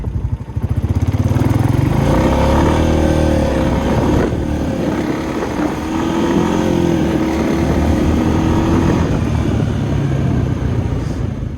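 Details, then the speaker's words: 2020 Honda Rubicon ATV with HMF exhaust, after ECU reflash, riding in auto mode: revs climb then sag and hang at each upshift from first to second and second to third, a hesitation strong enough to lunge the rider forward. "Alright, well hopefully you could hear that and kind of see it, that the motor and machine just hesitate as it goes to shift between first and second, and then second to third, and it just hesitates enough to where your body even kind of lunges forward as it slows down and then shifts and finally gets going again."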